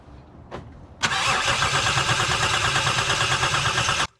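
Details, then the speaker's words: Lexus GS300, 2JZ-GE, cranking during a noid-light test: steady cranking at about three beats a second that never catches. The test confirmed the injectors are not firing; the cause was a faulty ECU with leaky capacitors. "After completing this test, it was definitely determined that the injectors are not firing."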